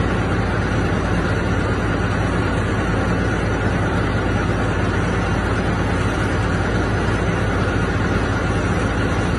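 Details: Diesel engine runaway: roaring at steady high speed and still running after the key is switched off.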